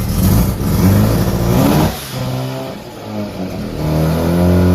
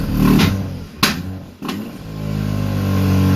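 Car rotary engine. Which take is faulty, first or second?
second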